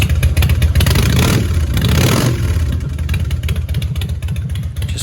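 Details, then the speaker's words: 1997 Harley Dyna Wide Glide V-twin with newly installed Vance and Hines Shortshots revving: deep loping exhaust note with no rattle, unlike the rattling factory Screaming Eagle pipes. "sounds nice no rattling looks nice nice and clean very happy with these"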